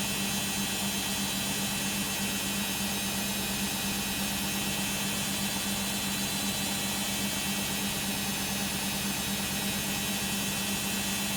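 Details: Beko WM5100W 5kg street-found washing machine, plumbed in, with rags, during a long spin of about 10 minutes: a constant loud roar with a steady low drone and hiss, no clear knocking; very noisy spin, cause not pinned down.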